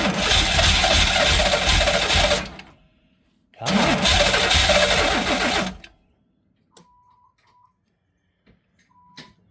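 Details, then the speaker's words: Pontiac Fiero sitting about five or six years, old gas, throttle held during start; two short bursts of ragged uneven running that die away; won't stay running, possibly an injector not firing. "One of the injectors might not be firing right now."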